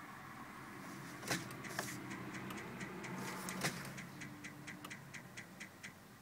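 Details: VW Golf that no longer starts; quiet, uneven clicks about two a second with sharp ticks; no-start with clicking, cause undetermined.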